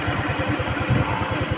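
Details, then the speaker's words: Rusi Gala 125cc scooter after carburetor needle restored from number 2 to stock number 6: starts on one click, then an even idle of about eight steady pulses a second with no stumbles; running healthy. "y mga guys so one click na lang one clip na lang siya bilis na siya maart"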